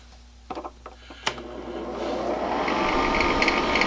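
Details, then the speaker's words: Honeywell ionizing HEPA room air cleaner used as a bedroom white-noise maker: as the fan spins up, a fierce rattle of about four per second builds over the air rush; owner suspects something stuck unbalancing the fan; caused by a dirty fan and dry bearings. "It rattles. It rattles something fierce. And makes it so that people can't sleep."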